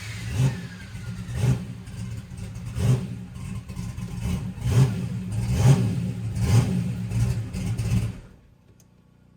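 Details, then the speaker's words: Turbo methanol engine after teardown, on the transbrake with CO2 on, cold air: deep rumble building with heavy bangs about once a second as boost comes up; turbo spools normally and makes boost. "yeah, she made boost. Oh, wow."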